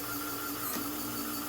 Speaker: And you kind of hear that the linear actuators are struggling a bit because for some reason my chrome rubber has got some sandy grit in it and I'm not real happy about it. You kind of hear it struggling and grinding and snapping and crackling.